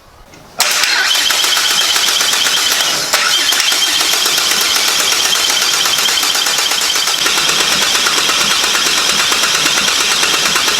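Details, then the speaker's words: Toyota Landcruiser with Barra turbo engine swap, first start preparation with fresh 5W-40 and new filter: cranked with all injectors removed to prime oil system, steady fast whirring with no firing, until oil appears at the turbo oil feed. "is to prime the oil system first so we've taken all the injectors out and we're gonna crank and yeah make sure it's all primed"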